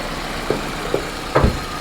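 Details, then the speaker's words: 1995 Nissan 200SX, about 124,158 miles, idling after driving home with A/C off: irregular pops and dull thumps every half second or so; occasional misfire, owner suspects MAF sensor or broken intake boot, possibly needs tune-up. "oh actually it sounds like maybe it is misfiring I don't know it drove home no see what's going on yeah she's definitely misfiring absolutely huh okay oh"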